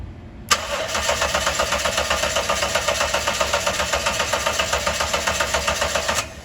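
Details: 2012 Dodge Ram 1500, 3.7 L V6, cranks but won't start after hard braking: steady starter cranking at about four beats a second for six seconds, never catching. Spark is present; faulty fuel pump suspected.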